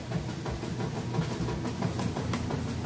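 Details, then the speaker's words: Kenmore top-load washer with a heavy jeans and towel load and the lid switch bypassed, agitation just starting: a low churning rumble with uneven thumps about three per second, normal agitation. "it agitating just getting started there excellent job with the agitation"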